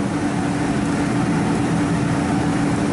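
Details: Ford E-150 5.4 L V8 at idle, no code: steady uneven lope with a recurring dead beat in the firing rhythm; PicoScope traced the misfire to cylinder 3 and a failed ignition coil, replaced.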